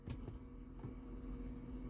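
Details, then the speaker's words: Truck with no four-wheel drive, switch verified working, relays swapped to get signal: two or three sharp clicks over a low hum, shift motor never turns; transfer case shift motor suspected faulty, not confirmed. "you can hear that so I definitely think it needs a transfer case motor this one's just clicking"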